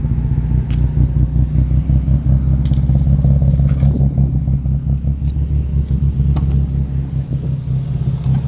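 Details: 2004 Nissan 350Z petrol engine with a low, uneven, stumbling rough idle that started randomly, with the AT check light flashing; cause unknown.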